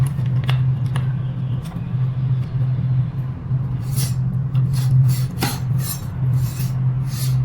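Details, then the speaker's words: Electric scooter with a bent brake disc rubbing on the caliper, heard while adjusting caliper position: steady low motor hum with short scraping swishes each wheel turn; disc to be straightened with a screwdriver. "Let's see, the brake disc is bent. It's bent, so we have to adjust it."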